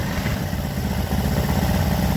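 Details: Motorcycle that had been smoking and running out of oil, after new piston and clearing a blocked oil passage in the head: steady even idle putter, no knocking or rattles, oil now reaching the top; normal idle.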